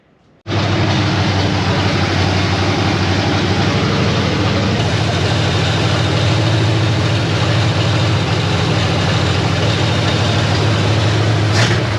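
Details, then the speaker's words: Crown Vic-swapped 1964 Ford F100 idling roughly with fast ticking and a loose metallic rattle: headers leaking badly and the collector flange rattling, first thought to be something rubbing. "I do hear the collectors rattling which I originally thought was like something rubbing but it's definitely the collector flange is rattling"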